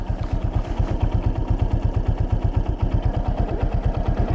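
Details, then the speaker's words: 2024 Yamaha Fazer 250 at 65,000 km, engine noise at idle: deep, steady thumping knock about three beats a second over the exhaust note; owner suspects the connecting rod bearing, not confirmed. "não tenho certeza mas eu creio que é o rolamento da biela cara Vocês entenderam rolamento da biela"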